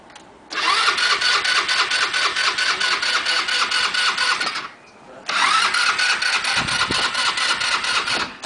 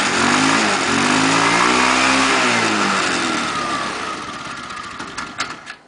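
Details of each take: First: Scooter after five minutes of failed starting attempts, before trying a trick of blowing into the fuel tank: two long stretches of rapid, even starter churning with a pause between, and the engine never catches. Cranks, no start. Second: Scooter that would not start for five minutes, started by blowing into the fuel tank through a cardboard tube while pressing the starter: the engine fires and revs, pitch climbing then sagging over a steady rough beat, before winding down. Engine running.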